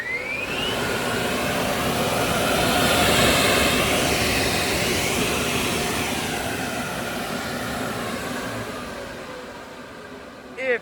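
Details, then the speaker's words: Spencer 7050-H 75 HP turbo compressor air agitation blower, 3500 RPM, three-phase 230/460 V, 980 CFM, tested running: steady rushing airflow with smooth high whir, swelling and settling evenly, no knocks or grinding; runs healthy. "this unit has been tested over here at lanco we'll turn it on for you so you can hear it run"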